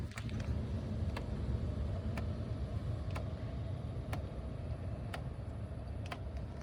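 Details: 2004/06 Mercedes CLK C209 / C-Class W203 with facelift interior: sharp, even dashboard ticks about once a second over quiet cabin hum, persisting after replacing both footwell actuators; flap actuator suspected, not confirmed.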